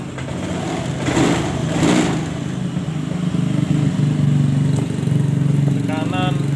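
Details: Honda Scoopy fuel-injected scooter with unstable idle and stumbling/dying on throttle, fuel pressure checked (under 20 at first, later 42 psi): steady even low putter with throttle blips, no stumbling; runs clean.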